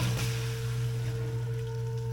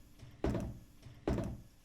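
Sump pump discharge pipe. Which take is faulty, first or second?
second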